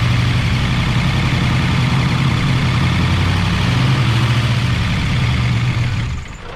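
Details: 1988 Chevy Camaro IROC-Z V8, first run after replacing lifters that would not stay pumped up: even, steady idle with a deep low rumble and no ticking, then the engine shuts down; normal healthy idle.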